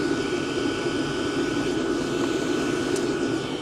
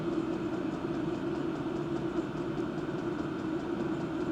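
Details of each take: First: Diesel parking heater combustion-air intake with the filter pulled off: steady, bright, clearer hum with a high whistle, not much louder but more unpleasant, up to 80 dB measured; loud intake noise with the filter removed. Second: Diesel parking heater with an aftermarket exhaust silencer simply pushed on: 77–79 dB at 20 cm without it, 66–69 dB with it. Steady low hum with a soft, even rumble, no rattles or surging; normal running.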